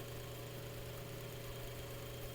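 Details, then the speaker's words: Cleaned Mainstays 9-inch high-velocity fan on medium speed: steady low hum with even airy rush, no rattle or ticking; normal running. "so here's medium see as you can see it still moves a lot of air"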